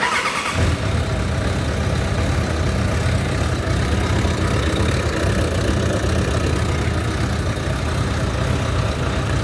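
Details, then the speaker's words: Motorcycle after re-welding the broken starter weld and throttle cable adjustment, cold: brief starter whir, catches at once, then steady even low idle with no misses; normal cold start. "depois de tudo pronto surpresa o start não funcionava né a solda partiu refiz a solda e agora ó fria"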